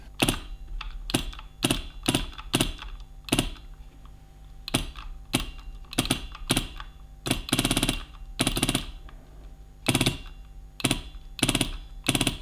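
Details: Beautural handheld garment steamer, opened up and heated to temperature, trigger pressed: short harsh buzzing rattle that stops on release with no steam; electromagnetic pump failing, micro switch works, tube not blocked.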